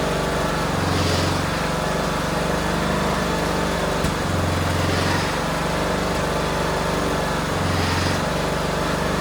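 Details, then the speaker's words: Cub Cadet LTX1040 riding mower after the carburetor leak was fixed: the engine runs steadily while a low flapping surge returns about every three seconds; the belt slaps heavily when the blades are disengaged, and the drivetrain belt also slips. "It also sounded like when we disengaged the blades, it sounded like there was a lot of belt slapping going around. So something else that has to be looked into."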